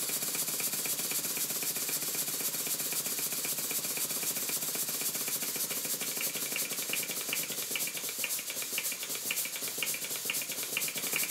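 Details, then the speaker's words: Southworth large duplex steam pump running unloaded on compressed air after valve-timing tweaks and new valve gland O-rings. Hissing exhaust with a fast, light, slightly uneven rattle: pistons knocking at each cylinder end, at slow speed without back pressure. "it's rattling because the pistons are hitting each end of the cylinder and at a slow speed because it's not really pumping"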